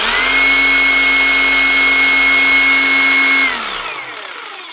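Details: New Hikoki DH40MEY2 brushless rotary hammer with the trigger held: steady, even, high-pitched whine at constant speed, then a smooth spin-down when the trigger is let go. Healthy.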